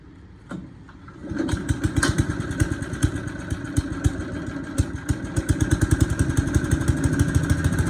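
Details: Bolens 3.5 chipper shredder engine, stored under tarp outdoors about 20 years, likes choke; small catches, then settles into a steady, even firing beat a few times a second; running normally.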